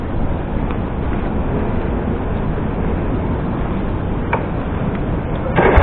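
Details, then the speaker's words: Single-cylinder carbureted motorcycle after flood water was drained from the carburetor and the fuel tank cap opened: even, steady putter with a throttle blip and no stumbles or stalling, normal idle after repair. "So that's it. Mission accomplish na naman po. Atting pansin po natin hindi na po siya namamatay."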